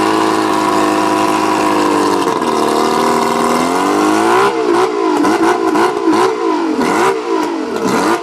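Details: Mercury 135 outboard revving with an uneven, stumbling note that dips and surges under throttle instead of climbing cleanly, a misfire; owner suspects the spark plugs, not confirmed.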